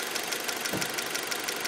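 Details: 2003 Acura RSX at idle, valves already adjusted: quick, even, crisp metallic ticking over steady idle; source unclear.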